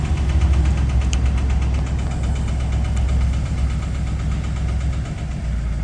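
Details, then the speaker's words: Project car's engine: loose, uneven knocking about three per second over a low rumbling idle; owner suspects a spun bearing, not confirmed. "it is fairly rattly so to me it sounds like it's done a spun a bearon"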